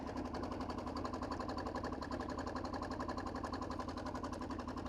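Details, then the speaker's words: Steady, even idle clatter with a fast regular tick over a low rumble from the diesel KLR built for the Marine Corps (considered a 2006); sounds broken but is normal for a small diesel engine. "cuz it really has that sound where like man that thing is broken what is wrong with it unless you know what a small diesel engine sounds like"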